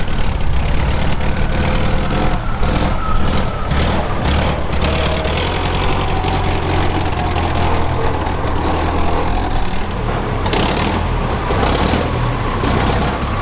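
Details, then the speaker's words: Mercedes OM615 diesel in barn-find Unimog 421, recorded outdoors in wind: low rumble with uneven, lumpy firing; rough running, owner suspects injection pump timing way off after a previous pump refit, before fixing. "For those of you who haven't watched the previous videos on this thing, now you can also hear how bad it actually runs."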